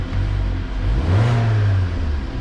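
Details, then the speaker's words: Vauxhall Insignia after temperature sensor repair, plus new rocker cover gasket and spark plugs, in neutral with clutch down: engine picks up cleanly, steady even note, no stumble or bogging when revved; healthy. "that sounds a lot better as well a lot more healthier no bogging"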